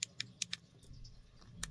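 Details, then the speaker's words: iPhone 14 Pro Max power button gives sharp, bright metallic clicks and sometimes feels squishy; the cause was a loose screw inside. "like slightly metallic sound to it, clicky metallic sound, and other times it's just very squishy."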